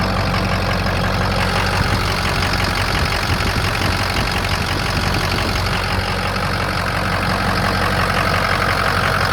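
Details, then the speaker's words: 2007 Ford F250 4WD, 6.0 diesel, 147,000 miles, idling: steady, even diesel clatter with deep constant rumble, no misses or uneven beats; no blow-by, no coolant system pressure from EGR or oil cooler; healthy, normal idle. "That's as good as it gets. There's no blow-by whatsoever. There's no coolant system pressure at all."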